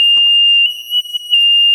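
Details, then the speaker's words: Philips Respironics EverFlow 5 L oxygen concentrator, disconnected from power for a while: loud unbroken high-pitched alarm keeps beeping when switched on, a power-failure alarm from its internal speaker on the board. "esto lleva un rato desconectado y ahora si lo enciendo sigue pitando. O sea, es muy molesto, muy muy molesto."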